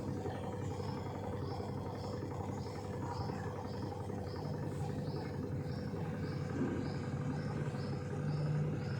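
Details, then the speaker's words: Samsung 6.2 kg top-load fully automatic washer, bought 2017 with no issues, in its final spin mode: a quiet, steady hum with faint light ticking, no grinding or banging; a normal, healthy spin. "अभी आप सुन सकते हैं spin mode में इसका noise कैसा है। तो आप लोगों को डाउट रहता है कि कैसा साउंड रहता है इस वॉशिंग मशीन में, तो आप लोग सुनिए इसका साउंड कैसा है।"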